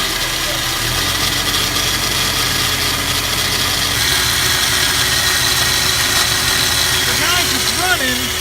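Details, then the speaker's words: Snowmobile engine after installing a manual fuel pump and regulator, started with starter fluid: loud idle with harsh gravelly rattle throughout and no steady beat; runs rough with a new noise and odd smell, cause not confirmed. "But it sounds absolutely terrible. It wasn't making that noise before. It sounds like gravel or something. Sounds absolutely terrible."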